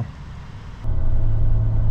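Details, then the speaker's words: 2005 Toyota Tacoma X-Runner, 4.0 V6, six-speed manual, test drive after clutch, pressure plate, throw-out bearing and rear main seal replacement: about 50 mph in fourth at 2500 rpm, steady smooth drone with no chatter, slipping or whine; normal driving. "we are in the truck right now and we are test driving it everything is going good running about 50 we're in uh it was like fourth gear right now we're only turning like 2500 rpm so there's no need to shift into fifth just yet"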